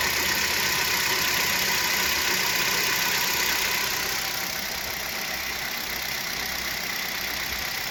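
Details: Kia Rio 3 1.6, 75,000 km, at idle: light, even knock about four times a second over engine hum, traced to the power steering pump, not pistons or catalytic converter; knock disappears with the belt removed.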